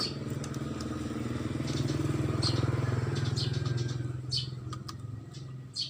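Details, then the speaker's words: 2014 Honda Beat injection scooter, after reconnecting a broken charging (spul) coil wire that had caused sputtering and stalling, starts without the battery and holds a smooth, regular idle putter with no stumbling. Charging is now normal. "Coba kita khas seperti ini tanpa aki langsung nyalanya enak"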